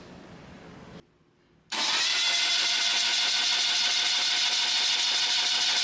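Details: Restored 1977 BMW R75/7 airhead boxer twin, freshly filled with oils, ignition coil unplugged to check oil reaching rocker arms: after a short pause an even, fast starter spin around three beats per second, holding steady; normal cranking.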